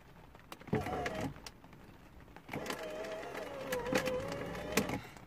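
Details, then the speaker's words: 2008 Porsche Boxster S (987), driver window: each switch press gives strained, wavering motor whine with clicks inside the door while glass stays put; failed window regulator. "there's something wrong with this elevator so obviously the window doesn't work even though there is something working inside the door"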